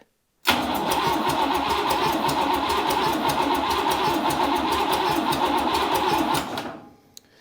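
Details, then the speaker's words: Buick 401 Nailhead rail dragster, first start attempt with a little gas poured in, in park: starter spins evenly about six seconds with no pop or catch; owner guesses no spark. "gonna I'm gonna guess that it doesn't have any Spark because that didn't sound too promising"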